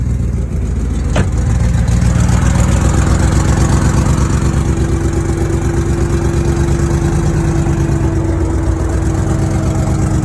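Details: BMW E9x M3 S65 V8 in limp mode, misfiring cylinders 5-8: uneven lumpy burble stumbling about four times a second at idle; cause was a missing header-to-mid-pipe exhaust gasket causing an exhaust leak.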